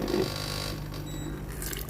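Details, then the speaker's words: Philips GC7051 steam iron, opened up and tested with its replaced water line: a steady low pump hum with water gurgling through to the front heater. The pump is delivering water normally. "J'entends le bruit de la pompe à eau qui pompe. Notez que la pompe à eau peut pomper de l’eau à travers le tuyau d’eau vers l’avant du poêle."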